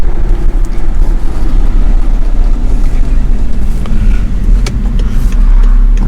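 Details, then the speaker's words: BMW E60 528ix after hub bearing replacement, driving: steady low road rumble, no growl or hum rising with speed, only rusty brakes heard; earlier horrible noise was the bad bearing, now normal. "it was the bad bearing it was the bad bearing because right now it doesn't produce those horrible sounds anymore"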